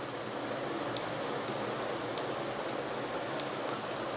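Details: NE555 timer circuit with 12V relay and 2200uF capacitor, LED test: crisp relay clicks every half to three-quarters second, alternating steadily; timer switching properly.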